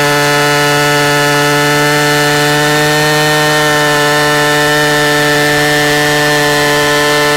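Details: 44-year-old Husqvarna L65 chainsaw with points ignition, brought out of retirement and cutting a big oak log: strong, steady high buzz that dips slightly as it bites, then recovers. It has lower rpm than modern saws but plenty of torque, and is running normally under load.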